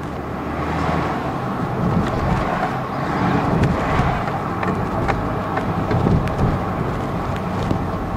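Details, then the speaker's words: 2002 GMC Envoy on a test drive after a rear clunk repair, camera at the rear: even road rumble and tyre noise over bumps, no knocks or clunks. No suspension clunk. "oh yeah so there's no more so there you go guys that's how you diagnose in uh fixy clunking sound for this 2002 gmc envoy"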